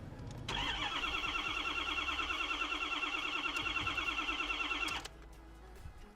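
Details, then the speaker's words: Rolled-over 2013 Ford F350 salvage truck, second start attempt: even starter churn near three beats a second for about four and a half seconds, never fires; no fuel getting through, owner suspects tripped fuel pump shutoff (inertia) switch. "let's try one more thing I know Ford's have fuel pumps which shut off let's see let's locate that switch and see if it's a shot off or not"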